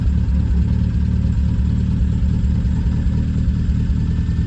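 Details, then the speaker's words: Triumph Spitfire with points ignition, idling while warming up with the choke fully closed after a plug lead was refitted; low, even idle beat with no skipped firings, running smoothly. "So that's choke all the way closed now, and it's running really sweetly."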